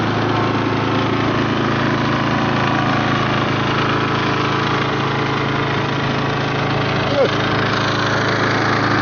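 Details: Masport mower with a Briggs & Stratton Quattro 4.0 hp four-stroke, left outside and seized for seven years, freed with penetrating oil and spark plug cleaned, first cold start: a steady drone with a slightly uneven beat, some smoke; runs on its own, possibly rough.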